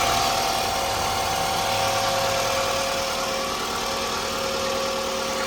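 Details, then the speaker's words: 2002 Toyota RAV4 at 210,331 miles, started right after a DIY oil change: steady, even idle with a smooth hum and no knocks or ticks. Sounds good, normal idle. "I just make a YouTube video, you know? Works great. Sounds good."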